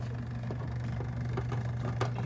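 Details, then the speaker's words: LG front-load washer (model WM3…) with OE error, rinse cycle, drain clamp closed: low steady hum with faint ticking, no water gurgle, as the drain pump strains against a clogged drain hose assembly (pump already replaced; new hose fixed it). "okay so it's going to the rinse cycle now and I can hear this pump trying to work"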